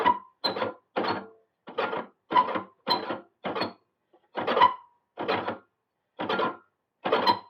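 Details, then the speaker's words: Qualcast mower with a Tecumseh engine: the reel is turned by hand after adjusting the corroded blades, and evenly spaced rasping grates about every 0.7 s show the reel blades catching the bottom blade on that side. "Take it a couple of turns on that side, and you will start to hear it grate. So it's now catching. I think it's catching on that side."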